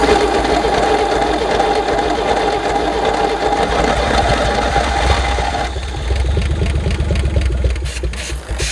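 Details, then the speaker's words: 1964 Chevy Biscayne V8, parked 30+ years, first start after servicing the points and a dose of brake clean: catches and runs on a steady, fairly even fast idle just above idle, then settles lower as the throttle eases; it is firing properly. "See if we can give her a touch of throttle. There, that should be just a little over a idle, really."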